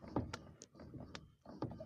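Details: VAZ-2109 rear suspension: dull heavy clunks about every 0.7 s, each followed by a lighter tick; rear strut top plates installed wrong way round (rib should face up), owner also suspects struts need replacing soon; rear strut knock.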